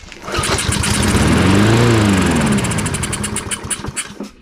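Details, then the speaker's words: Husqvarna AWD push mower abandoned in a barn 3 years, on starting fluid: rapid cranking catches, sputters into a brief rising burst, then dies; runs only on the spray, no fuel delivery yet. "Let me try it again. It's just not getting fuel yet."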